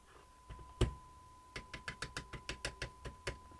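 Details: Roberts R707 radio with intermittent bad-connection fault, after resoldering a broken winding wire: steady clean tone holds through a dozen sharp taps on the case with no crackle or dropout; connection now sound.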